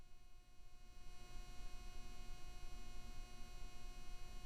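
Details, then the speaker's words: Microphone plugged into a 202 audio interface gives a constant low electrical buzz at a fixed pitch with steady overtones: mains or ground-loop hum in the audio chain. "i went for the remember the 202 and i plug in the microphone and there's this really annoying e sound coming from it"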